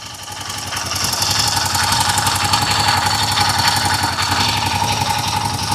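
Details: Royal Enfield Himalayan 450 after a faulty tensioner was replaced; at idle a light, fast tapping of about four per second rides over the exhaust beat. Most of the loud clatter is gone, and the owner suspects another problem remains.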